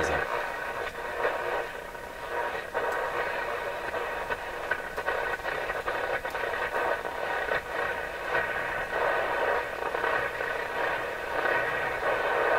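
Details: Canadian General Electric KL-96 radio during restoration, after replacing more capacitors, tuned to the lower end of the broadcast band before alignment; steady hiss and crackle with faint washed-out programme — weak, noisy broadcast reception, cause not confirmed.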